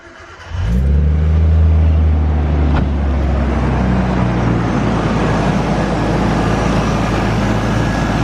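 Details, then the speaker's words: Tara's RB25DE+T Neo R34 turbo after an intake modification for the dyno, first start: cranks and catches quickly, settles to a steady, even idle with clean rev response, no knocks or rattles; "sounds better… wicked". "How good? That sounds better, eh? That sounds wicked."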